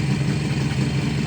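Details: 1969 Kawasaki H1 two-stroke triple, 40,000 miles, sat about 30 years, air cleaner assembly not yet refitted: busy, even burble with steady low beat, no misses or rattles; healthy idle.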